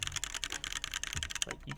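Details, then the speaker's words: Phoenix45 keyboard, red aluminum case over brass weight, built without foam: quick irregular key clacks with a faint metallic ring after each stroke; desk and desk mat may add some ping, but the board itself pings. Case ping. "Also, I think my desk and my desk mat are contributing to some of the ping. No, this board's just pinging a little bit, but..."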